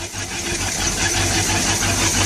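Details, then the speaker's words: Sea Ray boat's Mercury 350 V8 with Rochester Quadrajet four-barrel, divorced choke, previously hard to start cold, primed once, first start in over two weeks: catches at once and settles into an even, steady idle with no misfire or stumble; normal cold start. "okay so i'm gonna do this throttle okay so this is cold start and it fired right up"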